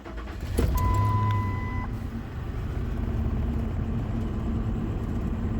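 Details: Truck at an odometer reading of 350,677 after fuel filter replacement and three key-on fuel pump primes: brief crank with two-tone chime, engine catches and runs steady without stumble; normal start, no leaks.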